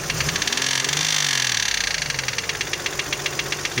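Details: Toyota 1MZ-FE V6, knock appeared at first start after replacing spark plugs and injector seals, removing intake manifold and cleaning throttle body: sharp metallic ticking about four per second as revs settle, loudest from the top; owner suspects something in a cylinder, borescope found nothing.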